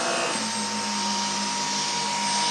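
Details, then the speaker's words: Dyson V10 vacuum floor head on carpet: steady roar with a loud low drone and a clear mid-pitched tone, much louder and more disturbing than in the demo; the owner finds the head's noise abnormal. "koyduğunda da bir uğultu şeklinde çalışıyor. O bizim tanıtımda hiç böyle değildi, tanıtım şeyinde."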